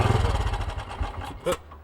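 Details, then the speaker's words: Old BSA motorcycle with new carburettor: single thumps slow and thin out, dies within about a second and a half, won't hold idle; carburettor setup suspected, not confirmed. "she's not going to keep running all right you've put a new carburetor on here haven't you yes that's right sounds like we're going to have to do a little bit of tinkering on that to get it to run properly"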